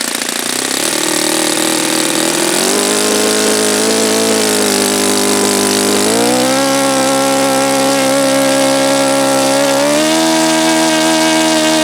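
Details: Saito FA-72a model four-stroke swinging an APC 12x7 prop instead of a 13x8 (which turned about 8200 rpm): a high reedy buzz steps up and wavers at low throttle. The owner suspects it is too lean on the low end.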